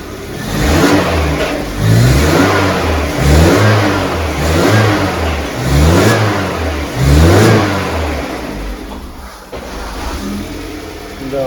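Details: VAZ 2110 (gas-equipped) that won't run on petrol: engine surges and sags about once a second with lumpy, uneven beat, no steady idle, misfiring; throttle position sensor shows no response, wiring fault suspected.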